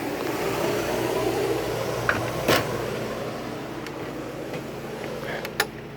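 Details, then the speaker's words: Travel trailer roof air conditioner, fan on automatic and high, drawing 17.4 amps from a new Harbor Freight inverter generator, recorded inside the trailer; steady, even rush of air with no rattle or squeal, blowing cold, running normally. "The fan is set to automatic and it's on high. You can hear that. You can hear I'm talking loud. Blowing nice cold air, real nice cold air."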